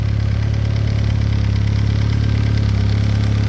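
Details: VW B5 Passat GLS wagon 1.8T, first start after fitting a high-flow exhaust manifold and the O2 sensor: smooth, steady low idle hum with an even pulse, no ticks, knocks or hiss; healthy.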